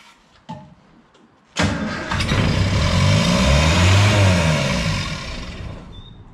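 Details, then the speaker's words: Morris J2 van, first start in about 30 years after sitting since 1980, fed from a temporary fuel tank into the carburetor: cranks briefly, catches and races to high revs without settling; throttle stuck wide open, possibly something stuck in the carburetor. "i guess the throttle stuck throttle stuck on but there it goes you start uh so try and get that off a little bit all kinds of stuff in the way yeah throttle's wide open"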